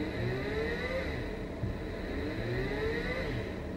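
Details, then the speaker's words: Brushless 3-phase motor on a WS55-220 driver at 30 V, turned to low speed and sped up again to recover: soft whir climbing and easing in pitch, smooth, no grinding; runs normally. "you have to go to the low-speed and then speed it up again and then it will be okay"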